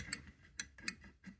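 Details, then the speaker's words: Crisp, distinct clicks a few tenths of a second apart as the freed float moves in a rusted McDonnell & Miller #67 steam boiler low water cutoff, previously stuck by rusticles; switch snaps over freely, normal. "there's the float thank you for uh putting up with the Herky jerky of this and now you can hear the the switch clicking"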